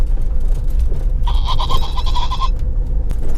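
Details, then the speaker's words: Mahindra XUV500 while driving: rapid chirping squeaks over road rumble for about a second, stopping when the trim is held by hand and returning when released; interior trim squeak, exact spot unknown. "It's just the squeak though. Shh. See, if I hold that, you can't hear it. Then if I let go."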